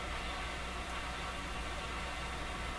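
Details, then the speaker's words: Small transistor radio tuned to 11 MHz with a clip-wire antenna: steady, even hiss with no tone or rhythm; first taken as atmospheric noise but too consistent, so possibly the radio's own noise floor; unconfirmed. "so i think this is atmospheric noise but it just doesn't have the right characteristics it's too it's too consistent but so perhaps perhaps the noise floor of this radio is what we're hearing"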